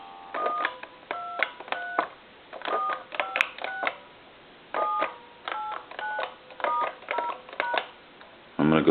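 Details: Repaired, converted German telephone at final checkout: crisp two-note DTMF beeps, one short tone per key press in uneven groups, each clean and steady; keypad dials properly.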